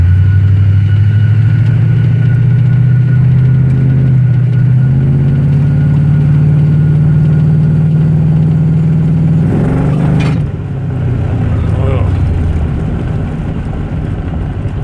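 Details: OBS Chevy Tahoe 6.0 V8 prerunner, returned from the shop: rough, deep idle with an uneven thumping pulse about four per second. Rod knock is suspected, and cylinder 4 tested under half the compression of the other seven.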